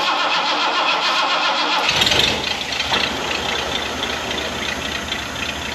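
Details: 1979 Ford barn find, first start after installing fuel pump and fuel lines: after a brief crank the engine catches and settles into a steady, even idle, running on its own fuel pump with a little gas; starts and runs fine.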